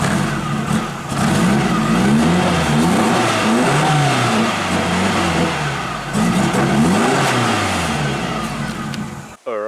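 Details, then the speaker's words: Nissan 180SX drift car with the fuel pump temporarily hard-wired, engine just revived: revs rise and sag unevenly, the note wavering and stumbling under throttle; rough running, and it died when given accelerator. "i'd be lying if i said it was running great but it's running and running is what matters"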